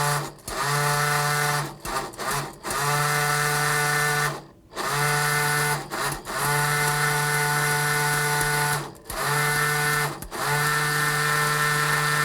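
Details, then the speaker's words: Spolar Gold Premier shotshell reloader's primer settling vibrator, worked by a momentary push-button switch in short bursts, moves primers from the tray into the track. A loud, even buzz comes in one- to three-second bursts and cuts cleanly between presses; it runs normally. "also that's what the what the settling system does is it actually vibrates primers from the tray into the track"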